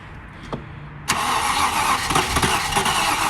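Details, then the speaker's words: Range Rover Classic LSE soft dash, spark plug shows strong spark, battery running low. Short crank, then the engine fires abruptly with a rough, uneven beat but won't keep running. Weak battery is suspected, not confirmed. "Oh, it's firing. Come off, Chris, and then try it instantly again. It seemed like it fired every time you just first tried it."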